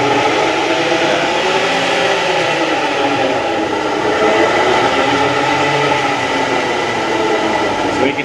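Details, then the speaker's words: Ford Raptor on a lift with the wheels spinning: a steady mid-pitched whine rides over the drivetrain hum, made louder by the hollow driveshaft; dealer blamed cam phasers, but the second opinion finds a rear differential pinion bearing whine. "we can definitely hear it from right here. That's why when we're in there, we'll check out everything else. But yeah, it uses the hollow drive shaft almost as a noise multiplier."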